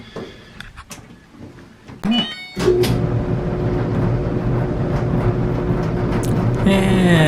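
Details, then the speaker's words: 2014 Electrolux/Frigidaire clothes dryer after replacing a blower fan that had broken away from the motor shaft: a few clicks, then steady even hum, no knocking or squealing. "the sound of his smooth running machine"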